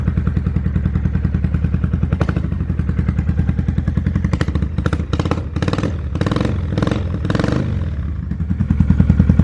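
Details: 2005 Kawasaki Vulcan 800 quick startup before sale: deep, even V-twin lope at idle, then several clean throttle blips that rise and settle smoothly; normal idle and revs, healthy engine.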